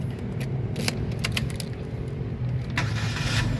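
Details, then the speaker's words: 2015 Chevrolet Spin 1.5 LTZ manual, about 32,000 km, used-car check: keys jingle, engine catches at once with no drawn-out cranking and settles to a steady low hum; a clean, quick start, whereas a hesitant start could mean a weak battery or starter fault. "Nah, pada saat kita nyalakan mobil, pastikan bahwa dia nyalanya itu jreng langsung nyala. Karena apa? Kalau dia nyalanya tersendat, berarti ada kemungkinan bisa jadi di akinya sudah soak atau bisa jadi di dinamo starternya bermasalah."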